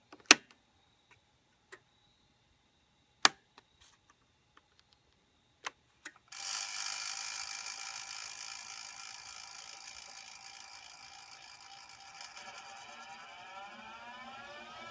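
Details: Jet 1221VS lathe running slowly in reverse: sharp, uneven clicks clearly from the motor, then a smooth rising whine as it speeds up; owner unsure whether the brushes are the cause.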